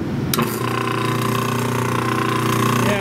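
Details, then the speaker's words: 1930s Delta DP220 drill press motor, with a new cord fitted, running before bearing replacement; a steady hum and whine with a rough hiss from worn bearings that were already cleaned and repacked without improvement, so new bearings are needed. "I took the bearings apart and I cleaned them and I repack them but it's not not doing the job"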